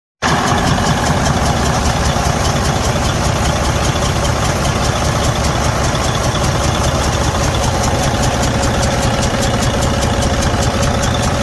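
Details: Freightliner Cascadia DD15 diesel at idle: loud, hard knock hammering through the engine at about two to three beats a second; engine failure with damaged internal components.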